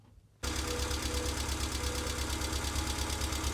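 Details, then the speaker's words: Subaru EJ22 after engine reinstall, warmed up a minute, oil level checked: catches and idles with a light tick about three per second, better than before; sticking hydraulic lifters, plus a new noise suspected from a timing belt roller. "all right well it sounds a lot better you can kind of hear the ticking a little bit it sounds a lot better but now i'm dealing with a second noise that i didn't hear previously"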